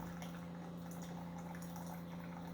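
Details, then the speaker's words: Older Keurig coffee maker that has lately been struggling to pump water: faint, steady, laboured pump hum with quiet gurgling; pumping slowly, cause suspected, not confirmed. "it just seems like lately it's been struggling to pump water maybe that's what the problem is right now because it still sounds like it's pumping water"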